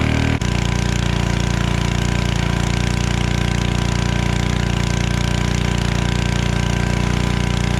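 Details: Generac 01292-2 pressure washer after carburetor replacement and pump bearing replacement and new oil, running with water: steady even single-cylinder drone with regular firing pulses, no knocks or rattles; works, healthy.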